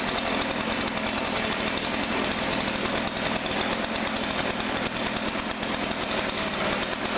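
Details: Weedeater PE550 two-stroke edger bought from a thrift store, tested to see if it runs: even, high-pitched buzz holding steady revs with no stumbling or surging; normal running.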